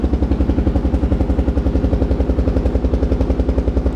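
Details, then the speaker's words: Kawasaki KLR650 single after full carburetor rebuild, mixture screw 2¾ turns out: idles with even, steady thumping, no stumble or bog; runs clean and crisp. "you listen and watch the christmas of it there's no delay it's almost like a mechanical card now"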